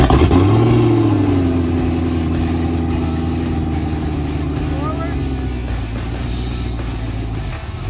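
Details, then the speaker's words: Customer-supplied used outboard, about 8 years old with 300 hours, not run in years, mounted on the boat: catches, flares briefly, then runs steadily and evenly through gear shifts; starts and runs normally. "Hope to God that this motor runs good. All right. Fired up"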